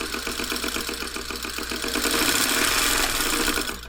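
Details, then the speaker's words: Singer 301 sewing machine from a thrift store, first power-up before cleaning: motor pushed lightly, rapid ticking and thumping at about four beats a second, speeding up into a harsh clatter; mechanism sounds dry, cause unconfirmed. "hear that thumping it just sounds a little a little dry go a little"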